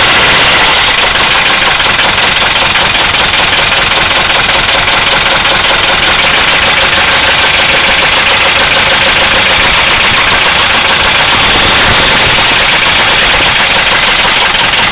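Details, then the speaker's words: 1974 Mercedes diesel, started without working glow plugs, idling with a heavy, regular knock of about three beats a second over its clatter; owner says it has a rod knock, not confirmed. "there you have it 1974 Mercedes with a rod knock still running"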